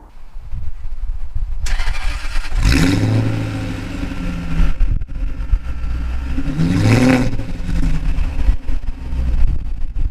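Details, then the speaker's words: Jaguar XKR with a rebuilt V8 and sports cats: two hard revs swell into a deep booming roar that drones in the cabin. The exhaust valves open at 3000–3500 rpm into the straight-pipe outer tailpipes, giving an obnoxiously loud sound. "now here's what it sounds like every time you put your foot down which is quite loud while everyone likes a good v8 engine noise that noise is pretty obnoxious and it's not actually nice either"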